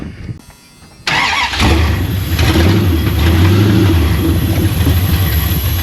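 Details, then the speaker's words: 1973 Dodge Charger 383 big-block V8, revived after sitting with ignition timing and overheating issues, catches after a quiet second while timing is adjusted and settles into a lumpy, uneven idle; a big vacuum leak is heard. "Got a vacuum leak. I hear it. Ah. Oh yeah, that's a big one."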